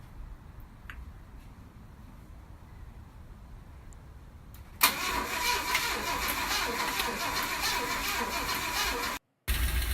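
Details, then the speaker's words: 1965 Ford Thunderbird engine at its first start after a rebuild: it catches and runs at an uneven, lumpy idle with an irregular beat, sounding horrible, then dies. Rough running; the engine went back to the machine shop afterwards. "engine is running it sounds horrible and the sound at the very end is when the engine died"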